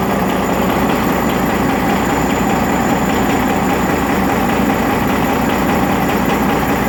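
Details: Rebuilt Detroit Series 60 diesel at loud, steady idle with a hard clatter at engine speed; one injector was adjusted at a lower rate and is knocking.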